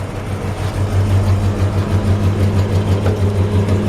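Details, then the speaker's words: 1961 Chrysler 300G, original 413 cross ram V8, after tune-up and carburetors cleaned; deep even idle burble about three pulses a second, no misses or ticks, exhaust sounds nice, healthy. "see if we can hear the exhaust sounds nice"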